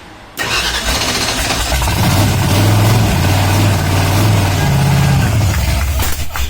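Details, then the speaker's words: Freshly rebuilt Ford Ranchero V8 on its first start with new firing order and newer camshaft, choke pulled, timing still unset. Catches after a short crank and runs loud, lumpy and raw with no mufflers and some popping. "It started! Yes! Yeah! Oh my goodness. Oh, It started!"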